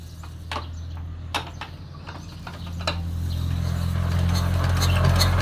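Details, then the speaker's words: Yanmar TF115 LM single-cylinder diesel, hard to start when cold: scattered clicks and cranking for several seconds before it slowly catches to a low steady thump. Mechanic plans to check the pump plunger, injector and pump valve. "โอเคครับติดยากมากเดี๋ยวยังไงเดี๋ยวลองดูลูกปั้มดูหัวฉีดวาล์วปั๊ม"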